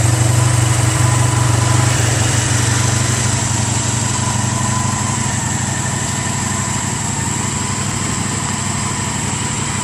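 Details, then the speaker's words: 1985 Honda Sabre VF1100 (V65) V4 at idle after a full carburetor cleaning: steady idle with light even ticking about four per second and a lot of smoke; valve ticking. "now here a little ticking there another valve ticking a lot of smoke you hear the ticking"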